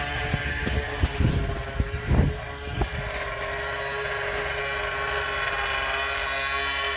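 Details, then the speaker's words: 2000 Arctic Cat ZL440 two-stroke snowmobile engine during a rebuild for a crankshaft that split in half, now running after being flooded; a crisp buzzy note settles to a steady high idle with nothing rattling or missing: normal running. "Dude, this kind of sounds good. I know."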